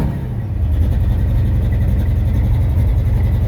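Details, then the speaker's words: Chevy Nova hot rod ("Misfit") after sitting and a no-start week, restarted after the timing cover was checked; a loud, uneven, lumpy exhaust rumble, brutal enough that the owner fears blowing the muffler; runs rough, cause not found. "Sound like a whole bunch of running though. God. I'm gonna blow a muffler apart. This is brutal."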